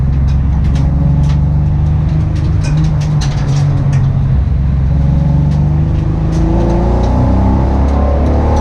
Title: Engine Misfire